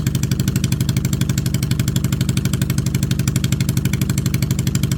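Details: 2002 Yamaha V-Star XVS650 V-twin after carburetor resealing, idling with an even, low, smooth thump about three beats a second with no knocks or stumbles. Healthy running.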